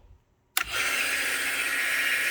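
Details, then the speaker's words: Teletype Model 28 ROTR after hours of lubrication, with gears still ungreased: a sharp switch-on click, then a smooth, steady hiss and whir with no knocks as the motor runs quietly. "Like a dream. Quiet."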